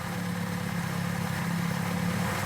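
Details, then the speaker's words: Warm petrol engine fitted with DIY aluminium valves, about three times lighter than stock, idling smoothly and quietly with steady low hum, no chain, valve tick or pinging chatter; revs less happily. "I love how quiet it is not even say it's perfect it's been a while since I've heard an engine this quiet and I love it"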